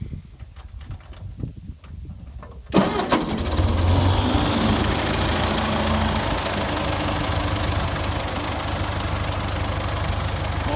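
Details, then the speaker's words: 1951 Ford 8N tractor after complete engine overhaul, previously knocking in the upper engine from a loose #2 cylinder sleeve: starter cranks under three seconds, catches cleanly and settles into a steady even idle, no knock; normal start. "I tore the engine down and did a complete overhaul. This is what she sounds like"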